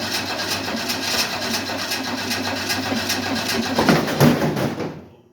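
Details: 1968 Ford Mustang on a nearly flat, briefly charged battery: even starter churning near three beats a second, a couple of rough catches, then it dies; owner suspects no gas in the lines, fuel pump unverified.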